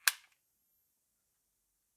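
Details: Kodak Cameo compact 35mm film camera with fresh AAA batteries fitted and the flash charging. One crisp, short shutter snap in a silent room; the mechanism fires cleanly and sounds normal.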